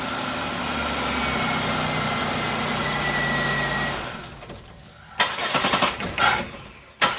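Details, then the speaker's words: Engine on a vehicle towed in from another shop, after repairs: starts first hit, runs smooth and even four seconds, then shuts off cleanly with a few clicks; no misfire or knock. "First hit, start up and run just as fine as it wants to. And we'll shut it down and start it back up."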